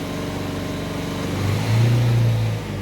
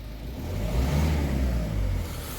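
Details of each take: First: Ford Focus 1.5 diesel after injector replacement and a new fuel filter, injectors not yet taught: a steady, even drone held around 2,500 rpm with no stumble. Runs cleanly at this speed, though a slight miss remains at low rpm. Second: Ford Focus diesel after refitting two injectors with new copper gaskets, short rev showing uneven stumbling beat at low rpm, fine higher up; misfire around 1,500 rpm, suspected sticking injector needles, unconfirmed.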